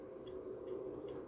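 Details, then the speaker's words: MW POWER MW-SC6B charger set to 24V recondition mode on a 12V battery, read on a 0–600 mA milliammeter; faint sharp ticks about 150 a minute over quiet hum, pulsed clicking at the clamps, questioned as unhealthy charging. "tu się zaczyna właśnie przygoda czy to jest zdrowe ładowanie akumulatora"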